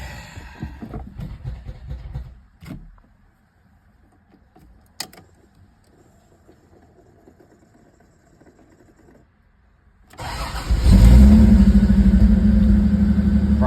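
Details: 1988 vehicle after new relay and new starter fitted to fix no-crank/no-start: quiet clicks, quick crank, engine catches at once and settles to steady idle; starting normally.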